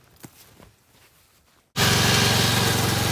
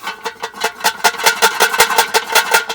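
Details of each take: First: Kohler Courage 19 hp engine on an Ariens garden tractor after muffler repair (loose internal baffle fixed): engine picks up and settles into a smooth, even beat with steady exhaust note, no rattle; running healthy. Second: Rusty muffler removed from a Kohler Courage 19 hp Ariens garden tractor, shaken by hand: loose metallic clatter, about five hits a second, from a broken-loose internal baffle that rattles when the engine runs; to be cut open and removed or tack-welded.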